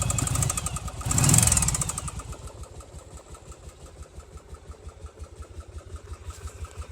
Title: virago 750 engine knock